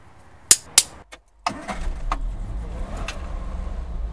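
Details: Triumph Spitfire 1500 after setting distributor points gap to 0.38 per manual: a couple of sharp clicks, then fires first try and settles into a steady low rumble with no hesitation; normal start after fix.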